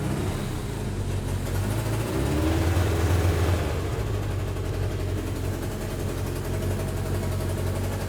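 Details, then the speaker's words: Suzuki Katana barn find after 31 years, warm, original plugs: uneven chuffing idle with stumbling beat; exhaust leak visible, sounds like running on three cylinders, a plug suspected broken down, slow ticking noted. "we've got a bit of an exhaust leak you can actually see it a little piece of fluff that's wondering around that probably just wants to nip up and it sounds like it's on three a little bit to me"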